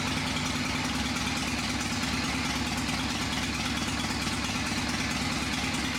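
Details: Old motorcycle engine first start after sitting unrun for a few years, carburetor just tightened: fires right up, even steady low thrum at idle, no knocks or misses, a little oil smoke; sounds good, normal idle.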